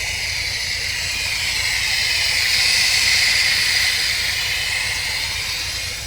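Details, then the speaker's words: MGB with newly fitted supercharger, Weber DCOE carb and 123 Tune+ distributor, during failed tuning: loud steady hiss over faint rough-running engine with backfiring; owner suspects a vacuum leak, fueling or timing, source uncertain. "I was getting loads of backfiring and a a mad hissing sound."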